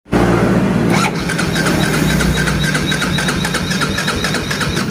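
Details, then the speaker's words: Yamaha Vega ZR/Jupiter motorcycle that starts by kick but not electric starter: starter spins engine steadily with light regular beats but never fires; weak pulser coil suspected. "Oke seperti itu ya teman-teman itu susah sekali untuk hidup maka Apa yang harus kita cek"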